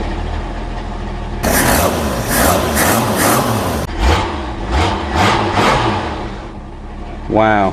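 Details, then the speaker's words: Jeep CJ7 258 4.2L inline-six fitted with new MaXpeedingRods OEM-replacement carburetor replacing a Weber, first start still cold: engine catches and runs strong with crisp, even throttle blips; crisp throttle response never had before, normal running. "that's never run that good and i'm not lying holy cow i'm talking rattle response even when it's cold the thing never had that type of response"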